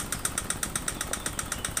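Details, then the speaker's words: Honda Vario 125 FI scooter: rough engine with sharp metallic ticking at idle and white smoke from the exhaust; attributed to late oil changes and a dirty throttle body, leading to a worn, scored piston and compression leak. "suara kasar pada mesin diiringi dengan keluarnya asap putih"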